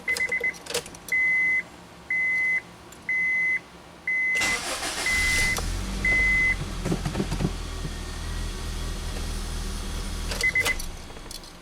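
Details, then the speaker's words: 2003 Honda Civic EX after steering lock and immobilizer replacement and key programming by scan tool: chime pulses about once a second, then a short crank and clean catch into an even idle; normal start. "Try the other key. Alright, both keys work."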